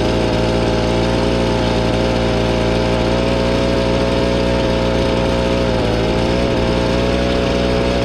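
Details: Gas blower with a 42cc engine and 510 CFM, last used about two months ago: a steady, even buzz at constant speed with no stumbles or surging. Normal running.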